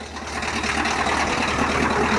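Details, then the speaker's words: Cold Ford F350 diesel that burns oil and had low oil pressure earlier clatters unevenly with a rough, lumpy beat and climbs a little in revs; owner suspects a bad injector, not confirmed. "this sounds nasty yeah I think actually it might just be a bad injector that's making it sound like that"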